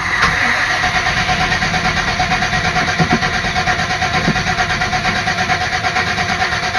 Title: Van won't start again